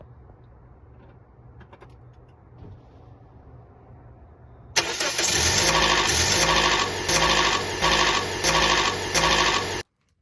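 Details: 2008-2010 Toyota Corolla 1.8L petrol engine starts with a loud, harsh metallic clatter for several seconds from timing chain rattle, tensioner to be replaced.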